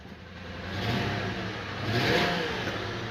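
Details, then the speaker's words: Lincoln V8, cold start before repair, revved twice: rough, uneven lumpy idle and rev from cylinder 7 misfire (code stored); car also sluggish when driven. "cars towns rough when you first started up but I know it's not warm and you shouldn't do this to a car if it's not warm but I'm gonna rev it up real quick"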